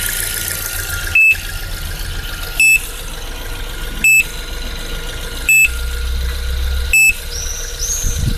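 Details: Suzuki Splash after a dead battery: engine idles under a sharp, steady high beep repeating every second and a half. The beep persists even with the battery disconnected and the engine running; cause not identified.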